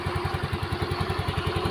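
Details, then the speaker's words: Yamaha Mio M3 scooter, brought in for an odd rattling noise at idle, idles with a soft, even thump about ten beats a second and no clatter; sounds quiet and smooth. "suaranya Hening ya halus"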